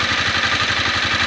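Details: Honda CBR250R hot single-cylinder idle after a 15 km ride from office to home: rapid light ticking from the top end; shim clearance or cam chain tensioner suspected, unconfirmed.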